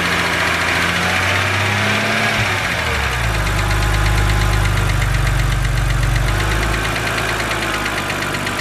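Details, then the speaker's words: BMW 130i with N52 engine, idling: steady fast ticking over a smooth idle that keeps pace with engine speed, likely lifter tick from the valve gear; the owner calls it harmless but annoying. "so as you guys heard that is the infamous BMW n52 ticking noise now I just want to say that this noise is not harmful to your engine in any way"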